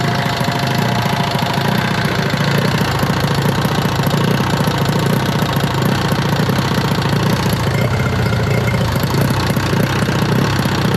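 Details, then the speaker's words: 1971 Arctic Cat drag sled, fan-cooled two-stroke, first run; loud rough running with fast steady clunking clatter, owner suspects the cooling fan, cause unknown. "it's got a pretty noisy uh it's like a clunking sound I'm sure you can hear it I don't know what that is we're going to have to try to figure that out"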